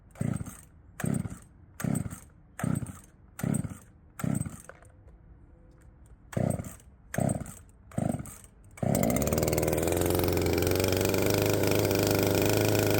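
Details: Poulan 3750 chainsaw, previously ran erratically when warm, now fitted with an adapted Chinese carburetor at the same tune: about ten cord pulls, then catches and holds a smooth, even high buzz; runs properly.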